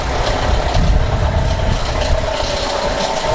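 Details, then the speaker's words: Captiva engine with the owner complaining it is very weak and idles very low; recorded with a microphone placed to catch the noise; the engine runs low and rough, a loud steady drone over an uneven lumpy rumble; injection light lit. "tá reclamando que esse cara que estava muito fraco muito fraco e com a marcha lenta muito baixa"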